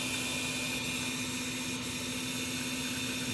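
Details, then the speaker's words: Carrier gas furnace after igniter replacement: loud steady drone with a rough hiss from the induced draft motor, suspected rusted inside and near end of life; worn, noisy inducer. "the heat exchanger and the furnace may be okay but that induced draft motor sounds terrible"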